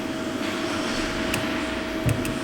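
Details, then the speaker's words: 2012 Jeep Grand Cherokee with a cranks-but-won't-start fault, fuel pump relay swapped for a known-good Chevrolet relay: a steady, faint mid-pitched hum of the fuel pump running. Normal fuel pump running. "Oh, I hear the fuel pumper running. We are fuse protected."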